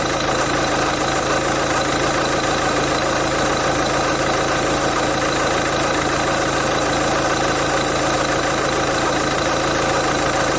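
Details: Peugeot 207 1.6 HDi diesel idling steadily with a fine rattly whirr over the clatter; owner suspects a noisy crank pulley damper, unconfirmed.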